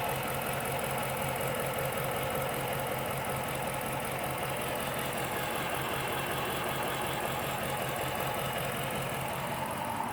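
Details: Rebuilt HEMI V8 Chrysler 300, compression all okay: uneven stumbling idle with periodic skip under ticking top end; persistent misfire unresolved despite swapping plugs, injectors and coil packs between cylinders.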